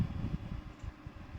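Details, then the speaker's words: Desktop CPU after SMPS power supply fan reassembled and switched on: soft, low, even hum with only light flutter, no rattle or scrape; fan now runs quietly, noise problem fixed. "ये देखिए बिल्कुल ही slow आवाज़ कर रहा है। देखिए ये देखिए बिल्कुल कम आवाज़ हो गया, फ़ैन चल रहा है।"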